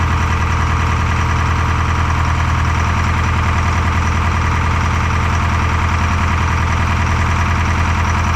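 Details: Detroit 4-53T diesel with 9G90 injectors, run from a 5-gallon tank bypassing the solenoid and tank: lumpy uneven idle, one pulse missing each cycle. Fuel starvation (filter half full, loose suction-side hose clamp); injector two not delivering, dead cylinder.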